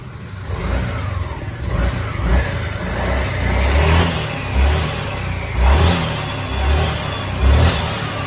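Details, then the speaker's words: 2022 Honda SH350i scooter revved in short blips with dry rustling and knocking from the CVT rising with each rev, plus vibration; stock exhaust restrictive, before full CVT rework, titanium header, and air filter change. "lắm tiếng xào xào nè mình làm là khắc phục hết cái tiếng này luôn nha"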